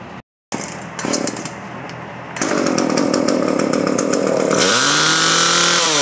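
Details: Echo CS-303T chainsaw that bogged and wanted to die on throttle, after turning the H screw out half a turn. Fires up, idles briefly, then revs cleanly to a high steady scream without bogging; runs properly, though perhaps slightly rich.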